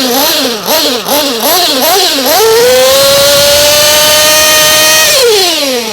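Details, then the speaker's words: Hot, already-tuned engine deliberately richened with the fuel screw to demonstrate: small blips, then a high buzzing note that sounds soft and mushy instead of crisp; running too rich. "now I don't know if you can hear that on audio but the engine is not getting that crisp clean sound"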